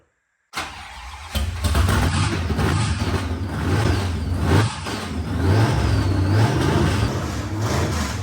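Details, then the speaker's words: 1956 Chevy dirt-track racer V8, first run with its supercharger after a 30+ year layup: deep, lumpy rumble rising and falling with the throttle and a faint high blower whine on top; sounds totally healthy. "That blower whine is like. How's it sound with no earplugs? It sounds totally healthy."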